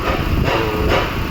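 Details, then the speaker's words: 2011 Toyota Prius in maintenance mode with check engine light on, engine forced to run: rough, uneven, surging idle from a cylinder 1 misfire (P0301) caused by a failing ignition coil that quits when slightly hot. "ये कोयल काम छोड़ देती है। थोड़ा सा हीट हो जाती है ना, तो इंजन बहुत ज़्यादा आवाज़ कर देती है।"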